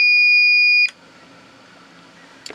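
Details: Old APC Back-UPS 500 (500 VA), plugged in and switched on without its battery after the failing battery was removed: one steady high-pitched beep just under a second at power-up, then quiet, the alarm buzzer sounding at switch-on.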